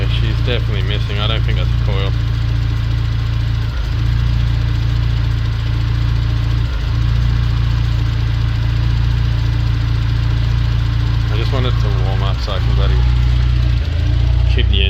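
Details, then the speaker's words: Isuzu NPS truck with transplanted Euro 5 engine, still cold: low steady idle stumbling every few seconds; intermittent misfire, owner suspects an injector, not confirmed. "maybe an injector i think it's an injector straight up injector brother"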